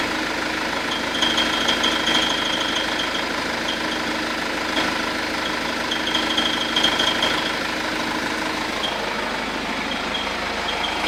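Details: 2009 BMW 120d diesel, 53,000 km, idling, phone-recorded inside then outside the car with auto volume swings: uneven fast ticking chatter over bright hiss, cricket-like; irregular abnormal engine noise, cause unknown.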